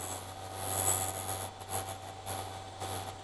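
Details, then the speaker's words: Vevor drill bit sharpener, bit chuck pushed in and moved lightly back and forth: steady motor hum with high even whine and light rasping surges; sharpener running normally. "You turn the machine on. Now, just going to push it in. You can hear it start grinding. Just lightly go back and forth."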